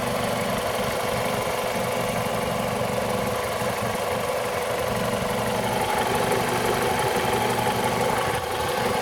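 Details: 2002 Toyota RAV4 engine: light rapid knocking, roughly three per second, over a steady idle; engine knock, owner suspects the VVT-i coupling, unconfirmed.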